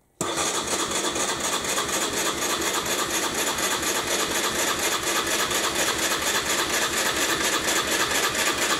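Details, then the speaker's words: 1998 Aprilia Leonardo 125 scooter left outside long, new battery, carburetor cleaned: catches and settles into a fast, uneven patter with stumbles; running rough, owner suspects dirty carburetor jet and not enough fuel coming. "I cleaned it but recently I mean this is 30 there's not enough fuel coming"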